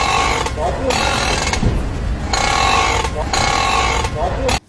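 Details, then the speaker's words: Turning the steering wheel gives rough groaning creaks in bursts, from the strut's top mount (plane) bearing; fixed by replacing that bearing. "来，第一点，怎么一打方向盘的时候就能听到嘎吱嘎吱的声音？你不要花钱去修发动机，咱们只需要花80块钱，把这个减震器上面的平面轴承给它更换掉，问题就可以解决了。"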